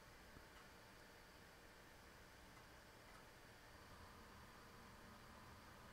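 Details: IBM PS/2 Model 30 286 (1991 submodel) with its proprietary 45Mb hard drive: soft, uneven ticking, three or four per second, over low hiss as the drive seeks during a diagnostics test; the revived drive works normally.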